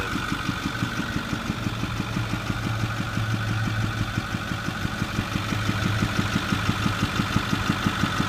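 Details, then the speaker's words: 2008 Ford F250 6.4 Powerstroke diesel, about 81,000 miles, idling: sharp regular popping through the intake, loudest at the air filter box, one or two a second; premature rocker arm wear from fuel-contaminated oil after frequent regens and poor maintenance. "Here's the noise from the front. It actually is going through the air filter box. You can hear it more by the air filter. And it gets worse than this."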